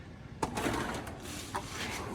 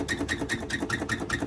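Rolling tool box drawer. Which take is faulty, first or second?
second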